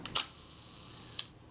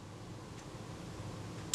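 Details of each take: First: Kodak Retina Reflex type 025 during servicing, film advanced and shutter release pressed slowly: first sharp click heard but the quieter second film-release click is missing, so the release needs adjusting. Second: Kodak Retina Reflex type 025 during a service, top cover held on, shutter release pressed slowly. Crisp clicks as the film release trips just before the shutter, almost together, as it should: normal shutter release timing.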